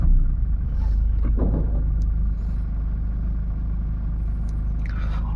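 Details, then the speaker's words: Toyota Innova Crysta diesel automatic, 51,000 km, heavily used on long highway trips, engine just started: steady low idle with light, even diesel clatter and no stray knocks or ticks; normal healthy diesel idle. "అంటే the diesel క్లాటరింగ్ ఒక్కటైతే ఉంది, but ఆ diesel క్లాటరింగ్ అయితే ఉంది, కానీ remaining ఆ diesel క్లాటరింగ్ కాకుండా ఇంకా ఏ sound అయితే లేదు."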